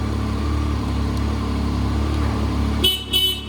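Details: 2010 Triumph Street Triple R 675, 38,566 miles, minor low-side crash, cold, stock exhaust; engine noise then two short bright horn blasts, clean and strong; horn works normally.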